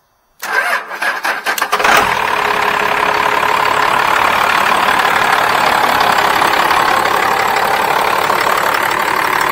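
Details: Dodge truck with 12-valve Cummins diesel, P-pump inline injection pump and intercooler; brief crank, then catches and settles into a steady, even diesel clatter at idle with no misses; healthy start and idle.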